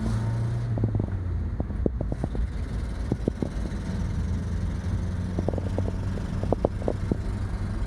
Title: Trying to drive a 1986 Mazda B2000 SE-5 with a horrendous exhaust leak